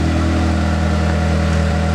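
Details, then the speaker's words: 1994–97 Honda Accord (California emission model) at idle, mic at the rear: deep, raw, steady drone louder than a sealed system; exhaust leak at the muffler/pipe by the exhaust bracket, worse on deceleration, before muffler replacement. "now I'm at the rear of the vehicle the exhaust noise the loudest"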